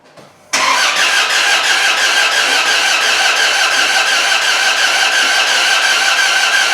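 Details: Ram 1500 with swapped 4.7 HO V8 from Jeep Grand Cherokee on JTEC ECM, fuel pump relay just plugged in, spark present: steady fast cranking that never fires; jumped cam timing suspected; no-start.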